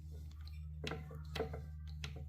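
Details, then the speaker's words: Antique Jeannin repulsion-start induction-run motor: turning the rotor slowly by hand gives dull irregular clunks, as the centrifugal weights are looser than they should be and fall instead of being held by their spring. "you can hear a lot of clunking around in there. Now, there's weights in there, but those weights should be held in place with the spring. And they seem like they're looser than they should be."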